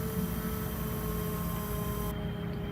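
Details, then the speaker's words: 1976 Datsun 280Z fuel-injected, key on after fuel lines hooked up; steady low hum with thin even whine, electric fuel pump running and drawing fuel normally, though some injectors later found leaking. "Yep, I can hear the pump running. You can hear it sucking fuel in now."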